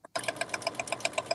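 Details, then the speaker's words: Sewing machine with a dull needle fitted, stitching: a sharp, even clicking thump about seven times a second with each stitch as the needle punches the fabric. A worn needle starts with hopping, then clicking. "that hurt yes that does not sound good at all can everyone hear that thunking thumping sound it's like that clicky sound that does not sound good"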